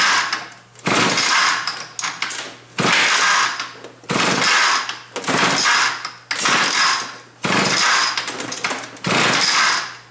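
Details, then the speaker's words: StingRay on its first run: engine surges, revving in short bursts and falling back about once a second. Rough running, carburetor adjustment suspected. "so sounds like it needs a little bit of a carburetor adjustment there"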